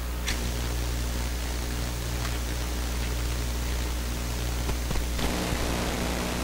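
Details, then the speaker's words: Westinghouse Model 1029 multiband tube radio whose local oscillator fails on the two highest bands, band switch rotated during tuning: flat even hiss with faint low hum, no station or oscillator sweep; band dead despite a signal on the scope; band-switch coil switching suspected. "so i'm seeing it on the scope there but i'm not hearing any effect on the band so these all sound the same now"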